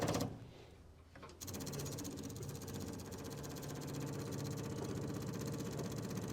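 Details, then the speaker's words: 1961 Buick Electra 225 with 401 Nailhead V8: quick steady ticking about four times a second as the fuel pump fills the carburetor float bowl; normal fuel pump operation before starting. "I can hear the bowl filling up which is good."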